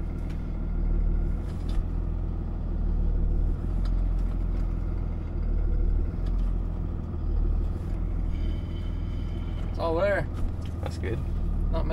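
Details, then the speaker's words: Dodge Ram 3500 diesel test drive after rebuilding its Mercedes G56 manual transmission (mouse damage) with a new clutch: steady deep diesel drone under load, moving in reverse, no gear whine, grind or clunk; gearbox sounds healthy. "sounds good so far in Reverse there's a reverse we're moving backwards that's always a plus"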